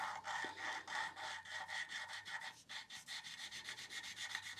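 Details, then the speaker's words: Mini Cooper S N14 cylinder head rebuild, valve lapping by hand stick: rapid gritty back-and-forth rasping about four strokes a second, loud at first, quieting as valve and seat surfaces smooth. "let the grinding pace settle and then you're going to want to go back and forth as if you are trying to start fire with this thing and as we can hear it's quite loud to begin with"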